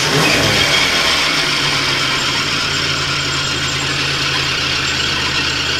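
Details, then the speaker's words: 1983 Oldsmobile Delta 88 Royale at idle: a constant high-pitched squeal over the engine, which spraying failed to stop. Alternator is suspected; squeal at idle, source unconfirmed. "what if I can't spray some uh TV down there and make that noise go away nope"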